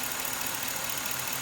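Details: 2006 Chevrolet Silverado, Gen 4 5.3 V8, cold garage, after dead misfire on cylinders 1 and 3 fixed by removing spark plug foulers: steady, even idle, all cylinders firing; normal idle.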